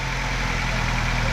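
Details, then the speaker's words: 2008 Nissan X-Trail T31 2.5L, first start after swapping in a replacement engine for a blown one. It is running smooth with a steady, even low idle and no ticks, knocks or noises. Earlier dirty fuel seems bypassed after carb cleaner was run through the fuel line. "all right so far so good it doesn't seem like it's got any any noises so that's good it's running smooth"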